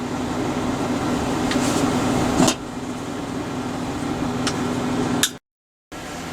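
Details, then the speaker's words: Repaired SIP MIG welder, warmed up: steady, even cooling fan whir with a low hum, no rattle or scraping, quieter and settled after warm-up; fan running normally, though wire feed remains erratic. "right then well the welder as you can hear is running um it's not quite so noisy now i think it's just after it's warmed up the fan cools down a bit"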